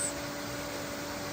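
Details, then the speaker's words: Off-grid river hydro water turbine running again after the failed old dam was repaired: a steady, even whirring, squeaking hum with no knocks or surging; normal running. "Can you hear that sound? That whirring, irritating, squeaking sound? It's the sound of success."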